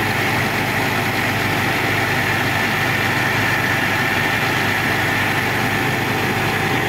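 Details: Old Caterpillar diesel after overheating, radiator topped up with water, overheat light no longer blinking: steady, even idle with a constant low drone, no knocks or surging; normal idle.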